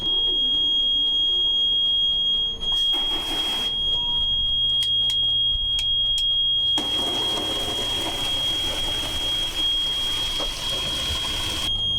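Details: Yanmar 4JH4E marine diesel, untouched since 2006, being prepped for a first start: the pre-start panel gives a continuous, piercing ignition-on beep while conditioned fuel is pumped through. Normal pre-start alarm.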